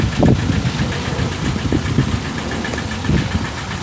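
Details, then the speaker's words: 1998 VW TDI diesel, ~500,000 miles, run on 80% waste vegetable oil; uneven idle with irregular heavy thumps and dropouts, heard from a distance. Bad misfire from a stuck piston ring, with heavy pressure at the breather. "It's not that bad, but it's more in a breather. You can tell it's just misfiring pretty bad. It's a lot of pressure."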